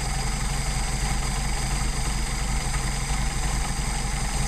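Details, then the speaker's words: Mercedes 190SL with rebuilt Solex carbs being tuned at a low idle, throttle linkage disconnected so each carb is set individually. Turning the idle mixture screw in too far makes it lean: a slight uneven lope, the engine sags and slows, and the stumble worsens until the screw is backed out. "Little stumble, little slow down, back it out. And you hear it getting worse."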